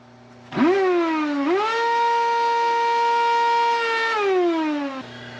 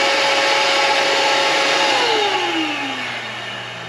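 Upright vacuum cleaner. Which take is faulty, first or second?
first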